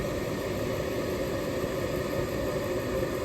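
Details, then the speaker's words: Older York gas furnace after repairing a locked-up, hot, buzzing draft inducer that caused three flashes (pressure switch stuck open): the inducer now hums steadily with no scraping, rattle or wobble, running smoothly. "all right guys pretty straightforward with that draft inducer got her back up and running"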